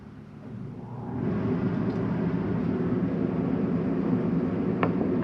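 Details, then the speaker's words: 2025 Jayco Jayfeather 19MRK travel trailer rooftop air conditioner set to cool mode, high fan via wall thermostat; after a quiet second airflow swells into a steady even rushing hum with low rumble; normal AC running on high fan. "Press it again to a high fan. That should crank up your AC."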